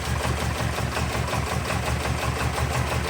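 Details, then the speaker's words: 1979 Porsche 924, first start after sitting untouched a few years: lumpy misfiring idle pulsing about three times a second with clattery diesel-like knock; needs a tune-up, no coolant and coolant leaking. Rough idle with misfire, cause suspected. "I mean she's got a miss and she needs a tune-up. It's going to die, but it lives."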